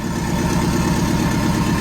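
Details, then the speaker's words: VW Bug with a swapped Subaru engine, idling after throttle let off while the computer self-tunes, probably adding fuel; alternator reading about 16 volts: steady, even idle with a smooth low pulse, no misses or knocks. "all righty guys so i finally got her idling uh i don't know how well you can hear me but idling really good"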